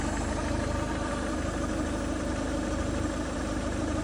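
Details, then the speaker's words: 2010 Peugeot Bipper 1.4 HDi diesel at idle: steady idle with an uneven, rough-edged chatter; never made this sound before, owner unsure if it's a belt; cause unconfirmed; van also has no power. "oh dear dear me don't know if that's a good sound or not a belt or"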